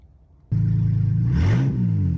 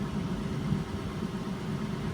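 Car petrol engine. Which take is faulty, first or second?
first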